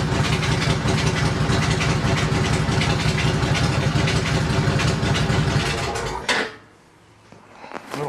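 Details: 2005 Suzuki C90 Boulevard 1500 that earlier cranked without seeming to get spark or fuel (a loose connection was found later): the twin catches straight away and settles into a steady even idle before shutting off. It starts and runs normally.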